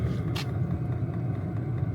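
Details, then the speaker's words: All-in-one diesel heater restarting in near-freezing cold, battery not recharged and left exposed: it fires up into a steady low rumble with even fan drone, no surging, misfire or smoke. "The heater did just fire up. I can hear it. Yep, it's starting. So check that out. This is going well and no smoke."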